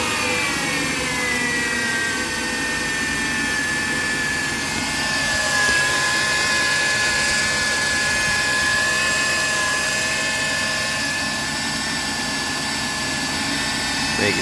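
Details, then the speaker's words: 2003 Ford Taurus 3.0L V6 after replacing fuel rail pressure sensor for P0193 and clearing codes: steady even idle with a faint constant high whine, no misses or knocks; idles smoothly. "all right guys so now that we got the fuel pressure sensor replaced and i got all the codes cleared and everything we're gonna fire it up and see how she's running"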